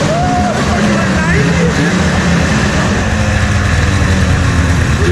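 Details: 1997 Ski-Doo Formula 500cc two-stroke snowmobile run indoors after sitting 5+ years, with carbs cleaned, new intake flanges and primed fuel; clutch still being freed. A crisp buzz runs steady and even with light throttle blips, no misfire or rattle; running healthy.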